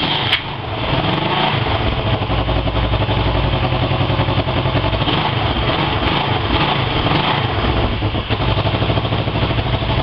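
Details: Honda 250 fitted with a CB 350 engine, started after an engine rebuild: catches quickly and settles into a strong, steady beat with a few throttle blips, no knocking or rattles; running healthy.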